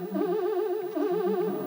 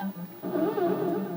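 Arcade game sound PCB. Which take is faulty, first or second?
second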